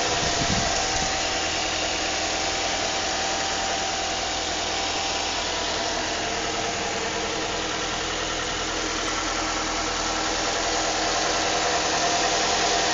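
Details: A 2006 Nissan Altima 2.5 S petrol engine idles with a steady, even knock of about three to four beats a second; the cause is unknown.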